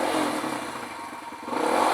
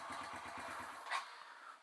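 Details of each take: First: Kawasaki KLX140 big-bore rebuilt to KLX170, freshly rebuilt and being broken in: crisp single-cylinder note climbing with throttle blips and falling back cleanly, no knocking or rattle; feels powerful – normal revving. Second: Kawasaki KLX140 big-bore top-end rebuilt to KLX170, hot after running: weak, uneven putter that dies out; harder to start than before, idle stalls from incorrect carb mixture, later fixed by adjusting the mixture screw.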